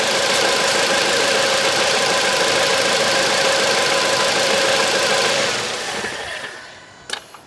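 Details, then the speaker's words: 2009 Volvo V70 (phase 2) idling with a regular stumble about three times a second, then shutdown; codes P0303, P2008, P0325; spark present, but cylinder 3 misfires because its spark plug is soaked in oil. "Ja, det är inte konstigt att den inte tänder på trean. Den har ju den är helt insöjd med olja."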